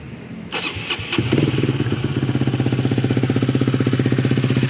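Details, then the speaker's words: Honda Sonic 150R with Kawahara oil pump and BB Killer near-stock exhaust, cold start: a few cranking bursts then an even putter about four beats per second, no valve ticking; sounds same cold and hot, cold-start head tick cured. "Tidak ada perbedaan sebelum dan sesudah panas, sama suara mesinnya. Jadi memang beginilah suara mesin gua ketika panas dan ketika adem, tidak ada perubahan."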